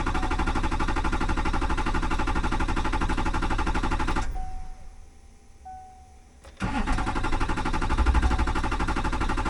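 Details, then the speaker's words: 2005 Chevy Silverado 2500HD, 6.6L Duramax, Allison 1000, after dying and the jumper wiring being changed, cranked with the fuel pump heard running: steady starter churn about three beats a second, a pause, more cranking, no firing. "Man, imagine doing this on the side of the road all because your fuel pump relay took a crap on your Chinese Fast 150."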